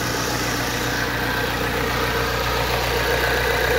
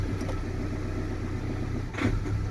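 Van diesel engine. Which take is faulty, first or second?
second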